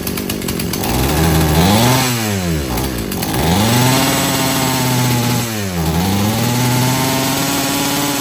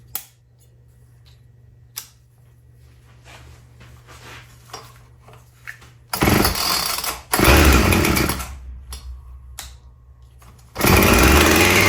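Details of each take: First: Husqvarna chainsaw being rebuilt after not running, disconnected fuel hose just reattached: revs sweep up and fall back unevenly, hesitating and bogging from idle, though wide open on the high-speed jet runs okay; stumble on acceleration from rich low-speed mixture. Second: Husqvarna chainsaw, previously a no-start, after carb primed: starts on choke in one or two pulls, then restarts without choke and holds a crisp, even high idle with clean revs; normal running.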